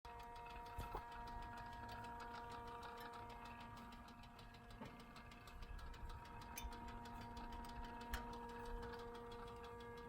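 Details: BMW F10 M5 right after engine shutdown: quiet, irregular light ticking from the hot engine over a low hum.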